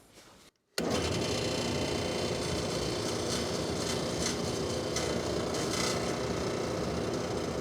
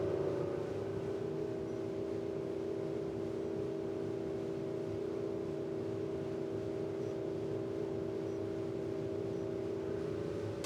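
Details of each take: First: 3D-printed replacement impeller with larger, thicker redesigned central hub on an industrial dust collector blower: loud steady air rush with rough throbbing rattle three to four times a second; owner says something is definitely wrong, about 74 on the meter; impeller imbalance vibration. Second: Industrial dust collector blower restored with new 3D-printed fan impeller with more blades, curved: steady, even hum, constant tone, no rubbing, rattle or wobble; big improvement, running normally.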